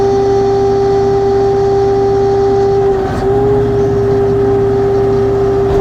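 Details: LS XR3135C tractor: loud steady high hydraulic whine over the engine, holding pitch. Twice at the dealer and the problem persists; cause not identified.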